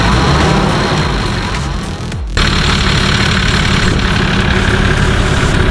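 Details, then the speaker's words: Nissan Patrol TD42 diesel at idle after installing a new UFI fan and breaking off a tab that had been hitting the fan: steady idle with an even fan hum, no rubbing or rattling; fan seems to move more air than the old one. "hear the fan hum sounds a lot better than the old one it sounds like it's actually moving a lot more air"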